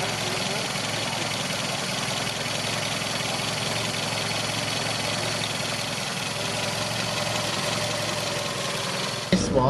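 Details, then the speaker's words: 1959 Volvo Amazon Sport, one-owner and original, sportier cam: soft, even tick-over with a steady hum and no tappet clatter or misses, unusually smooth for this engine, which is normally tappety when cold. "i've never ever heard an engine with such a good tick over the tick over on this engine normally they sound a little bit tappety yeah that's right yeah they're usually more tapeter when they're cold"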